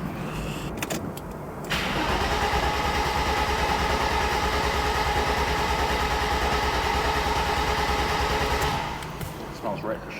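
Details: Mercedes R107 300 SL in for a no-start and service; fuel pump heard priming at ignition on: starter spins the engine evenly for about seven seconds with a steady whirr but it never fires; cranks, no start.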